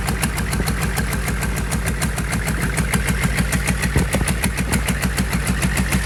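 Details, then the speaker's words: Rebuilt GEP/Navistar 6.5 diesel, Stanadyne DB2831-4911 pump, warm (180-190°) restart without glow plugs, full throttle: fast, even clatter at high revs, steady firing, no misses or knocks; healthy. "All right, guys. That was full throttle. Pretty much every time I've been raising the throttle, it's full throttle."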